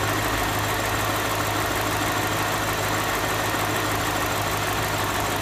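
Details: BMW Alpina with N62B44 V8, 160,000 km, at idle: steady idle with constant hissy mechanical chatter over the low hum; abnormal noise, source unclear.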